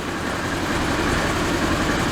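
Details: Ranger side-by-side test-fired after battery reconnect and new fuse block: short burst of steady even low rumble, no stumbles; engine runs healthy.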